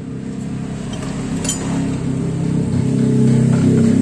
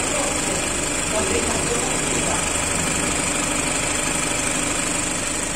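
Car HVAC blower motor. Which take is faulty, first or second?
first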